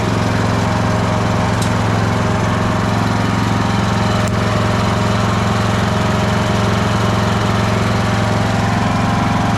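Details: Craftsman LT1000 riding mower after blade deck belt replacement (AYP 144959). Steady single-cylinder chug at about four beats a second with an even drone, no squeal or slap; deck runs fine.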